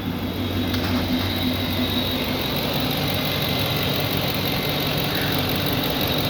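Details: 2011 GMC Sierra with reduced engine power: idle with slightly uneven low thrum, occasional stumble under steady hiss; misfire at idle.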